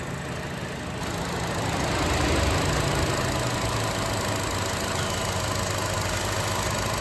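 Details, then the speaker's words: 2014 Chevy Cruze with codes P0171 and P1101, idling with the dipstick pulled and the fan running: a constant airy hiss and sucking. Tissue gets sucked in, confirming a torn PCV valve diaphragm vacuum leak into the crankcase. "it's pretty crazy unfortunately the fan just kicked on so it sort of buffles it but that's pretty wild you can hear that yeah I guarantee you this the diaphragm inside here is broken"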